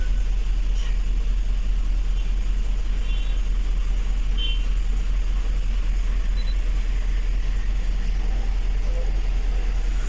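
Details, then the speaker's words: 2007 GMC Yukon XL V8 misfiring on cylinders 1, 3, 5, 7: low idle with a steady lope of about two and a half stumbles a second. One bank misfiring, traced to broken wiring. "यह गाड़ी है योकन axle missing कर रहा है गाड़ी आप देख सकते हैं"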